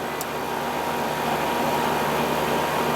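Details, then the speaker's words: Old R22 AC condenser fan after replacing a dead capacitor that caused surging and likely stopped it starting: steady, even fan rush and low motor hum, no surging or dropouts; running better. "definitely running better now. Oh yeah. It was like flipping surgeon."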